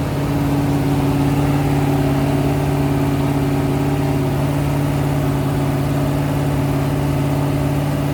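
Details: Rebuilt 426 Hemi crate V8 (new heads, intake, pistons) on a run stand during flat-tappet cam break-in, about 15 minutes in at roughly 210°, 50 psi oil pressure: smooth steady drone at about 2500 rpm, even firing, no ticking or knocking; healthy.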